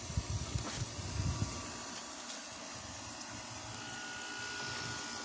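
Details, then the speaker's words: 2002 Whirlpool 5000 BTU window air conditioner found at the curb, with a weak, slow fan that a capacitor swap barely helped, compressor clicking on in cool mode: a steady hum with a rough low rattle in the first second, then settling; compressor somewhat noisy. "compressor is a little bit noisy [Music] it's a reef reaching and it doesn't sound awful but it it's definitely a little loud"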